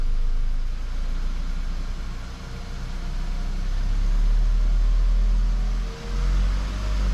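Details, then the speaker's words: VW Golf Mk5, about 50,000 km, after zip-tying fuel lines rattling inside the right-side frame following a fuel filter change; engine revs and settles with smooth deep rumble, no rattle; normal engine running. "Well, no more noise from the engine. Well, no more rattling noises."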